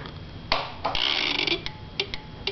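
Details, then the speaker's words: 2011 Kawasaki Ninja after fitting Bikemasters flush-mount turn signals and DIY fender eliminator: flasher gives sharp irregular fast double ticks; owner suspects it needs a different relay, unconfirmed. "It makes like I think it needs some sort of a relay. I don't know what it needs."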